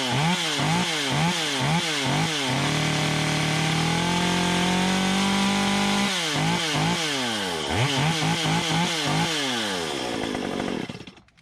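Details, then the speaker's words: Stihl MS 193C chainsaw after carburetor cleaning fixed cutting out on throttle: crisp repeated blips to high revs, then a clean sustained full-throttle scream without bogging. Running normally. "So, as you can see, we hit the trigger, we got power. I know this will cut like this. I'm not gonna lose power with the way it's running. Right now it's running as it should."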